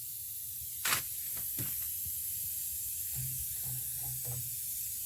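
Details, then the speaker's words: Old Worthington shop air system: continuous soft hiss under handling clicks and thumps. Air is escaping somewhere; the exact point is not yet confirmed. An earlier glued part leaked, and the compressor keeps kicking on. "the only thing I don't like about this one is it's got a smaller uh hole that was leaking too much and then the thing keeps kicking on and these things are expensive to run I hear some air"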